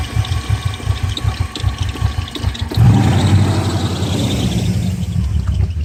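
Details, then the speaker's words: 1997 BMW E39 540i V8 with a just-replaced engine, started cold: a lumpy, stumbling idle before it dies. Codes include P0300, P0304, P0307, P0308, P0111, P0443 and P1385, and a vacuum leak is suspected. Rough cold idle misfire. "just replace the engine in it and every time you start it up sounds like this see it died up nasty misfire"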